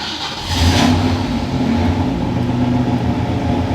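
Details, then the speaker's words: 1965 Ford Fairlane 500 on a very cold day, given two pedal pumps with a new choke powered from the ignition: quiet cranking, then it fires first try and settles into a steady, even low rumble; normal cold start. "Fires up in that new choke. She should stay on. Hopefully she stays on, but with that choke all wired up, I think we'll keep her on here for a second. Give her a little bit of gas to warm her up, but she sounds really good."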